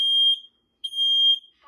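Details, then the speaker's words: Fire alarm system test on a Fire-Lite MS-9200UDLS panel: after reset the kitchen smoke alarm acts as a horn, with shrill half-second high tones separated by short gaps, continuing about 20 seconds; normal. "so because of the nature of these smoke alarms they go off for around another 20 seconds after they shut off so that reset so now these are just acting as"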